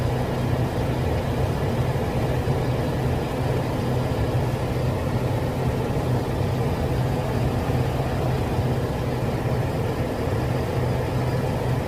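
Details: Toyota Innova at idle: a constant, busy clatter from the front end of the car, layered over the low engine hum.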